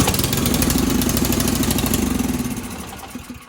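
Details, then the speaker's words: Ariens Sno-Tek 24-inch self-propelled snow thrower started after primer presses, choke accidentally left on: fast, uneven single-cylinder putter that sounds like it is choking, loses power and dies within seconds; running over-rich, so take the choke off after starting. "Okay, so it started right up. So what you want to do, as soon as it started up, it kind of sounded like it was choking because I left the choke on."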